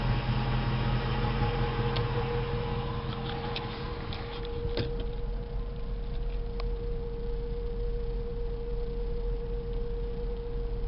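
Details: 2004 Jeep Grand Cherokee V8 at idle: steady mid-pitched whine over even idle rumble with occasional tick; owner suspects the fuel pump, unconfirmed.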